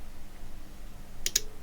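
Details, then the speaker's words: Cambridge Audio Minx Air 100 speaker with no power, lid off on bench: two sharp rhythmic clicks over quiet hum, no lights, as the faulty switched-mode power supply cycles on and off. "Rhythmic clicking. I think you can. And interestingly enough, now there's no flashing lights or anything else."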